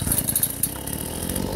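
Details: Chainsaw after repair: gunked carburetor cleaned ultrasonically, screen replaced and carb tuned, running Klotz oil; it idles with a steady, even buzz and no stumbling, now running normally.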